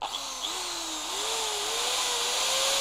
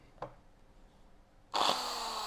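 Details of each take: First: Bosch GBM320 corded electric drill after repair, slight normal sparking, burning smell gone: motor spins up to a steady, even whine following the trigger, no rattle or grinding; normal motor run. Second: Bosch GBM320 electric drill running; click, then harsh hissy crackling roar instead of a clean hum, with a burning smell and sparking inside; motor sparking.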